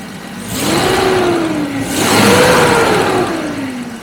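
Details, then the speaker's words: Carbureted Jaguar V12, hot start after carburetor work fixed poor idle and acceleration; engine blips up cleanly twice, pitch rising and falling evenly, then drops back to a smooth, steady idle; normal rev and idle. "returns to a nice smooth idle good exhaust snow out the back dog's crispy everything just running"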